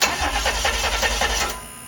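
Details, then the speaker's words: DeLorean DMC-12 with Bosch K-Jetronic injection, off a couple hours, worsening starting and hunting; cranking without firing as the fuel distributor sensor plate shows slop despite priming. No start from sticking sensor plate. "Even after all that starting and priming, we can see there's still little slop in the plate. That should be under full resistance at this point."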